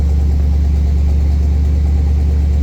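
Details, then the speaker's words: Buick 455 V8 in a Wildcat, running again after self-destructing: deep, even idle, oil pressure 70-80, no smoke, no knocks or misses; sounds much healthier. "70 something. Almost 80. That's good. I like that. This sounds way healthier. No smoke. Really nice."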